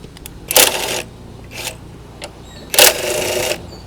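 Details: Electric scooter front wheel, hand-spun with disc brake removed, gives high scratchy squeaking in bursts; brake pads ruled out, noise traced to a damaged front wheel bearing, which is removed.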